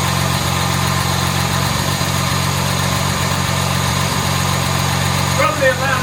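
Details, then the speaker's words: Jaguar MKII after reassembly, idling around 800 rpm with timing and carburetor balance not yet set. Steady, even idle with only a faint light rattle; normal, healthy idle. "now listen to her doesn't she sound good I got a couple of little Ry rles in there but nothing terrible"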